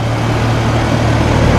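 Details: Newly installed Copeland scroll compressor in a Carrier unit at first start-up after replacement: deep, steady hum with even fan rush, no knocking or rattles; normal compressor operation, compressor drawing 9.8 amps.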